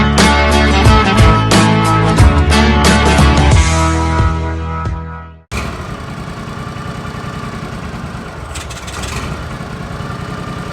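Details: Briggs & Stratton 16hp V-twin on an Argo 6x6, carburetor cleaned after sitting: idle speed swells and falls every few seconds, an idle surge from a plugged pilot jet.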